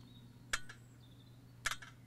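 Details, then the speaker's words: Electronic EGR valve actuator, cleaned and bolted back on with cooler, driven from 12 volts: two short crisp whirring clicks over a quiet hum as it sweeps the valve quickly and cleanly; normal operation after the cleaning. "and you can hear the valve the actuator moving the valve quite nicely there we go we've got a bit of a zoom going on here and it's a nice quick snappy action exactly as it's supposed to be"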